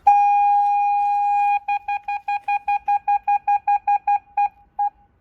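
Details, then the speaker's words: 2006 Mercedes B-Class W245 with retrofitted rear parking sensors, reverse engaged: a solid high beep for about 1.5 s, then quick pulses about three a second that thin out; the sensor warning works normally. "see the reverse lights are on [Music] and as I approach the car the alarm is beeping so you can hear that and that would be at a point where it beeps continuously"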